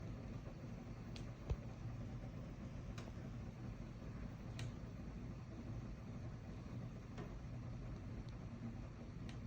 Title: Bosch mini split intermittent crackling popping noise and blowing extra cold any ideas?